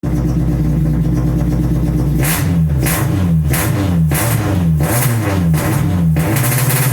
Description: Test start and poor response ultimately traced to MAP sensor and intermittent #4 injector.